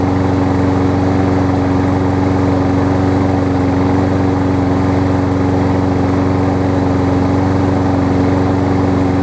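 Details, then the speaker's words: Kohler engine on a Lawn-Boy mower that only starts on starter fluid, running after a starter-fluid start with the air cleaner off: steady, slightly ragged hum; a minor clog in the carb's tiny top jet. "it almost sounds like the choke sounds like there's a very minor clog"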